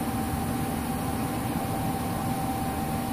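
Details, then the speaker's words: Intertherm electric furnace setting off smoke alarm, water overflow from coil pan, blower running on fan mode with panel partly closed: steady mid-pitched whine over low airy fan rush; likely failing original blower motor. "you can hear a little bit of a whining noise in there something you'll hear on a fan motor that might be getting near it Doom"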